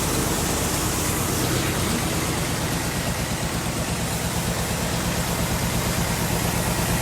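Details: 1964 Chevy Impala V8 idling after repair of a crank-no-start fault: low, even hum under heavy background hiss, no miss or knock; engine runs fine, normal idle.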